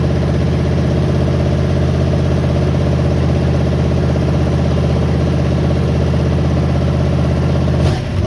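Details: 1972 GMC pickup, worn 350 small-block V8, barn find running on last fuel in carburetor bowl: loud, lumpy low idle, uneven beat around 160 pulses a minute; smokes heavily, no oil pressure, worn low-compression engine idling.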